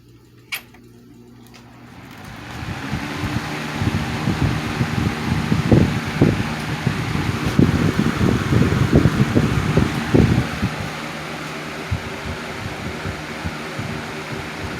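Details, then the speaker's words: 1987 Patton CA-1284 12" rotary box fan, run with the front guard loosened. It spins up into a steady, even whoosh with a low hum; strong airflow and no noise or vibration. "is a very nice blast of of air that that thing is throwing out [Music] awesome no noise or no vibration at all no noise"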